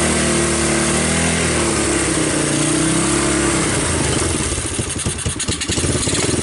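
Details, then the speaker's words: 1986 Honda TRX200SX Fourtrax ATV, abandoned in bushes and unstarted for years, first start on choke with key switch bypassed: the single revs up and holds a firm steady beat, going choppy as throttle eases; running on its own, normal. "but it did start and it ran and the wheels turned"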